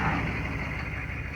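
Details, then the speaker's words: 1993 Chevy 2500 turbo 6.5 diesel after replacing the DB2 injection pump, whose previous pump smoked heavily. Steady, low, even idle clatter with no stumbles or misses and no longer heavy smoke. Normal, much better idle. "Yeah, this is running much better. Not afraid to start it for fear that someone's going to think my garage is on fire because of all the smoke puking out of this thing."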